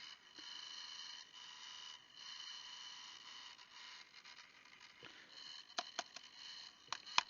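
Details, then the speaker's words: Intel NUC5i7RYH mini PC's dying BSB05505HP brushless fan whirs with a rough, scraping, grinding chatter at power-on, before opening it to adjust the fan pending replacement. "okay today we have an intel nook this one is an older model it's a nuc five i7 r y h okay and the issue with this is the fan is dying so when we power it on it makes a scraping grinding noise"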